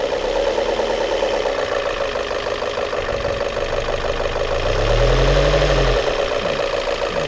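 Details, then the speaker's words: Volvo S40 petrol engine after air-leak repair and MAF sensor replacement, now idling evenly and stably but noisily, with light tapping about three times a second; unclear whether knock or something else. "ничего не слышно чтото там у него постукивает Толи кнок какой-то Толи ещ что-то"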